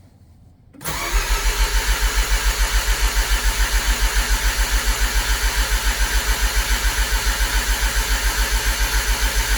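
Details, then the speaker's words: Mazda RX-7 Turbo II rotary cranked with fuel off after three months' winter storage, mic outside the window; starter spins at an even rhythm, about three and a half pulses a second, never firing; clean no-fuel crank building oil pressure to about 30 psi. "So I'm gonna go ahead and crank it over, and I'll stick you guys outside the window here so we can get a little bit better sound. So here is crank with no fuel."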